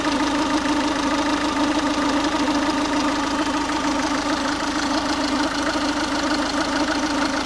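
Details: Ford Focus 1.6 TDCi diesel at warm idle, noise only when warm; steady droning hum in the low-middle range with faint, uneven knocking, cause unknown.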